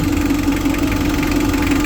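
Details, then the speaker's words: Mitsubishi L300 FB diesel after heavy PMS (EGR cleaning, oil change, new valve cover gasket): steady idle with a firm even hum and regular clatter, no misses or hunting. Runs better than before; engine healthy. "Tapos ngayon na heavy PMS natin, talagang eto, balik na yung ano nito, ganda ng takbo lalo, no?"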